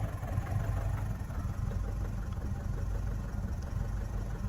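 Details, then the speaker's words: Mazda 6 diesel, no fault codes stored, smoking heavily and shaking. Deep, lumpy idle with an uneven low thump about once a second; rough idle, massive over-fueling or running on three cylinders suspected, not confirmed. "So we're running, but it's not running right. Ooh. Something crazy wrong here, lads."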